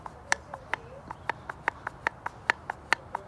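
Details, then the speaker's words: Toyota Corolla/Matrix XRS throttle body (P0505, high idle, sticking gas pedal) worked by hand: sharp dry clicks a little over two a second as the plate snags and scrapes on a shiny worn bore. "you hear that it's get it's getting caught and then you see that on the sidewalls you see right there how it's all shiny it's rubbing up against that so whenever you press on your gas whenever you press on your gas it tends to scrape right there"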